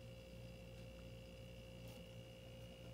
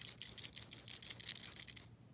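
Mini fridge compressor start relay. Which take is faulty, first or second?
second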